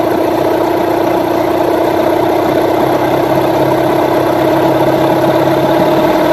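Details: Rebuilt Yamaha 9.9/15hp outboard after carburettor mixture and idle tuning: smooth, even idle with a steady low hum and no hunting or dips; idling cleanly.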